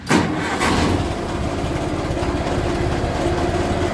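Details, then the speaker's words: Massey Ferguson TEA20 tractor, bought as non-runner: catches first try and settles into a steady even idle with a faint ticking; normal idle, alternator working, oil pressure drops somewhat at idle but acceptable. "little bit of noise there but it's all good the alterator is working"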